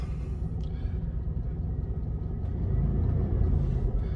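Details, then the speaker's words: Old Series 1 Rolls-Royce Silver Shadow, restored after standing 30 years with a seized engine, just after start-up: low, soft, steady V8 idle rumble with no knocks or misses; idling smoothly. "See, it seems to start okay there."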